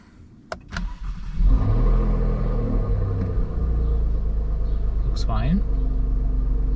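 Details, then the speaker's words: Alfa Romeo Giulia Quadrifoglio, first start after spark plug replacement (plugs torqued to 12 lb-ft): quick crank, then catches and settles into a steady, even, deep idle without stumbles or excessive vibration. Normal start and idle. "Sounds fine. Let's see if we idle fine. No excessive vibrations."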